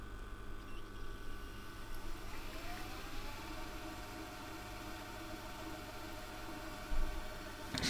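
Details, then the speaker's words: Sony DAV-D150G DVD/VHS receiver bought very dirty from a car boot, VHS rewind test: a quiet motor whir rises briefly, then holds steady and even; the tape rewind mechanism runs normally. "Right, let's test out the VHS functions. I'm just going to check it rewinds."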